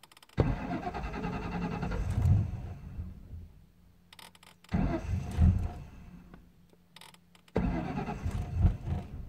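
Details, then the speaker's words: 1998 Mustang GT 4.6 V8, fuel filter changed and MAF cleaned: three crank attempts, each firing briefly then stumbling and fading into a missing, rough idle. Hard start; runs well warm, cause unknown. "she runs good when she's warmed up and everything but starting it dislike it just like she doesn't want to start she's kind of missing"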